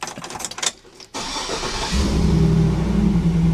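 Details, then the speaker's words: Chevy SSR V8 after the internal engine noise was diagnosed and fixed, with coolant due for a change: a short crank catches into a steady, deep, even idle with no knocking or squealing. Normal start, noise gone. "just an engine it's just breathing that's it just breathing listen this exhaust that sounds good but it needs it needs to be a a lot louder a lot louder for sure"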